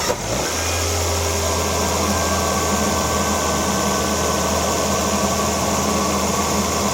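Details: 2011 Volvo XC60 right after spark plug replacement: a brief start-up catch, then a steady, even low drone holding its pitch as the engine settles into idle; normal start and idle.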